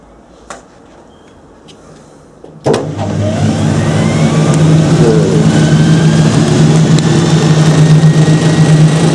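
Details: Hoover Spinarinse 3012A spin dryer from December 1968, test run after drain hose repair with silicone sealant: switched on with a thump, drum spins up with rising whine and loud steady building hum; normal spin-up.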